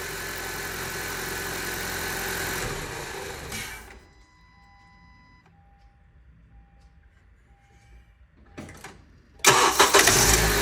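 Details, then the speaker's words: 2012 Honda CR-V cold start: the engine rumbles, then an odd tonal noise and clicks come through before it settles; the noise is gone on a warm restart, long-standing, and its source is unknown. "I'm going to in a second start my vehicle here and you will hear a cold start with a weird noise and I do not know what where that is coming from"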